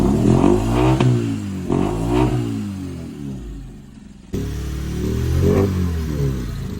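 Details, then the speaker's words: Car with a sudden unusual engine noise, checked at a garage: engine revs up and down with a rough, raspy clatter that grows with throttle, from an exhaust leak at the manifold gasket. "ನೋಡೋಣ ಇಲ್ಲಿ check ಮಾಡ್ತಾ ಇದೀರಿ ಎಲ್ಲಿ leakage ಇದೆ ಅಂತ"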